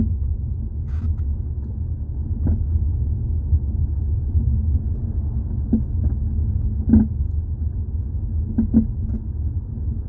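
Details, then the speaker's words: 2018 Jeep Compass, microphone underneath near the floor while driving: sharp clunks in short bursts over bumps above low road rumble, most likely from worn front sway bar links (plastic with metal joints). "Most likely to me, it's usually the sway bar links. That's what makes that noise when you're on the ground."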